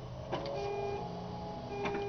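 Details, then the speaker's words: 1975 Datsun 280Z with the starter solenoid unplugged, key held at start to run the electric pump; short steady whir with clicks as pressure rises to about 38-40 psi before bleeding down, checked for a hard-start-after-sitting issue: normal pump priming. "we're going to see how much pressure we get it see how rapidly it bleeds down here we go see that 40 right there ready"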